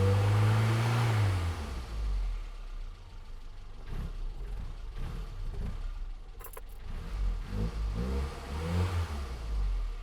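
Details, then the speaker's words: Low-mileage 1984 Austin Mini, SU HS4 carburettor, after servicing the Lucas 45D distributor and fitting the king lead; engine note sags and stumbles when throttle is stabbed fully open, then picks up unevenly, a pre-existing hesitation. "Now, that hesitation, I was putting my foot straight down on the throttle pedal, and it doesn't like that."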